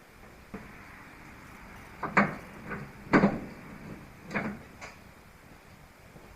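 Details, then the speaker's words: MGB sitting three years, engine off; manual rack-and-pinion steering turned by hand gives irregular dry clunks and creaks about once a second as it gets stuck; steering rack binding, possibly stripped or unlubricated. "hear that steering sounds pretty bad it's just a manual rack and pinion steering but it's getting stuck"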